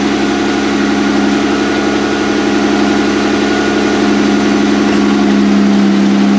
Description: There was some serpentine belt slap so I shut off the motor to figure out what it was. I did notice the tensioner seemed loose when going back together.